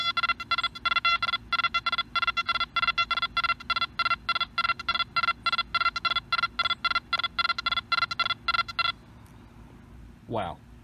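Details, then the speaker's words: Nokta Makro Anfibio metal detector over coins moved close together: crisp high beeps about three or four a second, then stop; cleanly separates close targets. "so you know there's you know there's multiple targets right there together you swing over and you're like whoa there's more than one thing there you're right there is"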